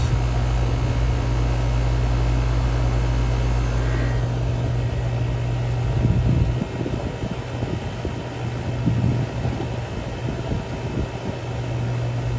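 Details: 2020 Rheem heat pump outdoor unit after compressor and defrost control board replacement, charging from about 6.5 lb toward 7 lb, 5° subcool, 11° superheat: steady deep hum with even fan rush, no knocking or rattling; normal running.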